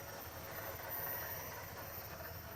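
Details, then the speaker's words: 1977 Dodge Adventurer truck, V8, fired immediately on first key turn: steady, even idle with smooth hiss, no knocks, misses or surging; idling just like it should. "and it's just sitting there idling just like it should hear that nice"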